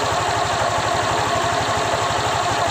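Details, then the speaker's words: Honda Vario 125 LED ESP scooter after CVT disassembly, cleaning, greasing and reassembly: steady even low idle pulse with no rattle, grind or whine from the belt drive; healthy. "Ini setelah gua pasang kembali, enggak ada suara apapun yang terdengar ya, seperti halus ya. Enggak ada apa-apa ya suaranya."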